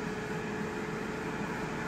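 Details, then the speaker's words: Aprilaire E100 dehumidifier after freeing blower jammed into cone by a pushed-up bottom pan, likely shipping damage: strong, even rush of air with steady motor hum, no rubbing; blower now runs, motor not burned out. "That blower is running. That never ran before, so. Wow, that blows some air, too. My goodness."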